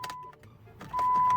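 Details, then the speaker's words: 2009 Chrysler Town and Country: a few sharp single clicks under a steady chime with no cranking at all; the starter is suspected, and a jump box did not help. "Damn. Y'all hear that? Just clicking."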